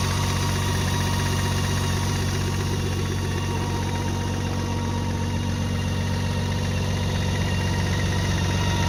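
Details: 2017 BMW K 1600 GT motorcycle engine at idle: steady idle with a light fairly even tick about four times a second over the hum; ticking from the engine, cause unknown.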